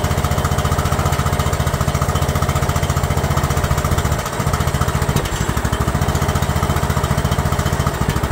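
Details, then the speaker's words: Free abandoned Yardman lawn tractor, single-cylinder engine with pressurized oil and filter, oil found low: cranks right over and fires right up, steady even chug about three pulses a second, no misses or knocks; runs healthy. "crank right over I mean just fired right up crazy it was free it's good"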